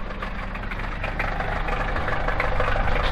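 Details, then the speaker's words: Toyota Celica petrol engine idling just after start-up: dull, fairly regular knock about three times a second; worn rod bearing suspected, not confirmed. "Ale panele słychać. Tak tu stuka."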